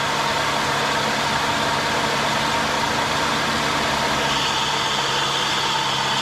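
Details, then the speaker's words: Infiniti on a cheap-car repair. A harsh, gritty grinding roar comes from the front of the running engine, traced to a bad bearing in the A/C compressor clutch. "We're going to be trying to find what noise that was that we just heard. Kind of a grinding, roaring, really bad sounding noise."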